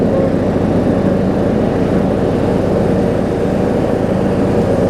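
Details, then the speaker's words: John Deere D105 riding mower with plastic manual-select General transmission, about 64 hours, revived after sitting unused for an unknown time; steady, even engine drone with smooth low rumble, no misses or knocks; runs fine now. "I mean, you can hear it's running just fine now. So that should be it for this."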